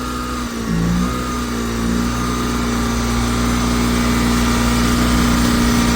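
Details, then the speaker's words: Honda ES6500 two-cylinder liquid-cooled generator after oil pump seal and rotor bearing replacement, under a 3000 W load with auto idle off: steady, even drone holding pitch with no surging; THD rose to 21.2%, voltage steady at 123 V on one leg. "and it jumped up to 21.2% THD. Voltage is steady at 123 on one leg."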